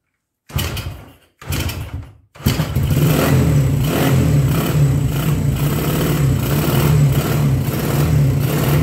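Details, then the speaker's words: 1975 Honda CB125S that wouldn't start, after draining old carburetor gas, running on auxiliary fuel and replacing a fouled spark plug, good compression, no choke: catches on the third kick and settles to a steady, even run; normal running. "Running really quick. There you go, third kick."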